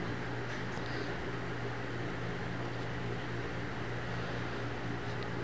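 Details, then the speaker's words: Panasonic DC stand fan with a no-power fault from a cracked on/off switch causing a loose connection and an open PCB trace: with the line bridged, a steady low hum and smooth even whir, no rattles. Fan motor running normally. "bale gumana na siya o umikot yung ating up fan ibig sabihin nandiyan lang yung problema niya"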